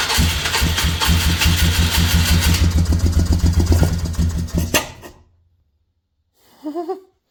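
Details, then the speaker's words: 2003 Polaris Magnum 330 4x4 single-cylinder ATV with hard-start history, gas squirted into the intake: starter cranks steadily about two and a half strokes a second but won't catch; has spark and compression, fuel delivery suspected, later traced to the fuel pump. "Wow. Okay, so we might have a fuel issue. So, we're obviously getting spark. It's got compression, you know, because if it didn't, it wouldn't run like that."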